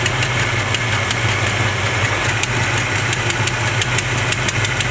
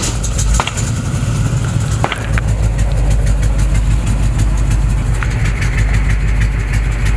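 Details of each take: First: 1970 Chevrolet C20 V8 at idle after carburetor mixture screw adjustment: steady even low rumble with light regular valve ticking, no misfire; previous owner's tune likely off. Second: 1970 Chevrolet C20 truck at idle: low, loping, uneven beat sagging to about 500 rpm and nearly stalling; rough low idle close to stall, raising rpm only goes so far.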